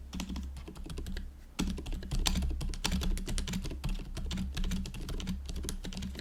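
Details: GoPolar TKL keyboard after silent conversion with factory-lubed Silent Cream Yellow Pro switches, typing test: fast, even, soft muted thocks, only slight residual rattle; quiet, healthy board.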